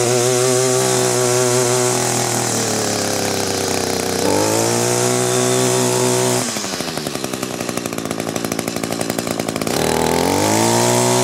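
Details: Echo trimmer after fixing a fuel leak at the fuel line grommet, refueled: two-stroke buzz revs up, drops briefly, then picks back up cleanly; starts and runs normally.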